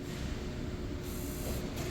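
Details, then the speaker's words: 2010-2015 Toyota Prius, higher mileage, ABS light with DTC C1391: steady low buzzing hum with a faint fixed tone heard at the front, the brake booster pump running nonstop from an accumulator leak. "you're gonna hear this weird buzzing sound you guys hear that it's a little Annoying after a while"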